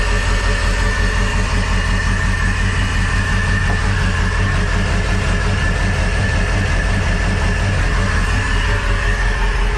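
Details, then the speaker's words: Crusader 8.1 Captain's Choice marine engine with new long block, running rough and not making rpm: deep idle with an uneven, lumpy beat about three times a second; one cylinder dead. Not the fuel pressure regulator; injector issue suspected. "let's see what did you think it's got a full-on dead hole somewhere so it does sound weird right it it doesn't sound right it's not a fuel pressure regulator"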